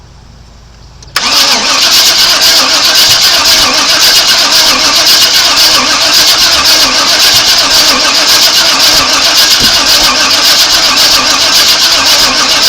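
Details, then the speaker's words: 1997 Chevrolet Suburban after sitting broken for years, first start attempt with battery, coolant and oil checked: steady fast cranking with a few uneven spits back through exhaust and maybe intake, never runs; crank no start, owner suspects timing is wrong. "okay well I can hear it I don't know if you guys heard it or not but I heard it kind of like spitting and firing back through the exhaust maybe a little in the intake which tells me that maybe the timing is just not right"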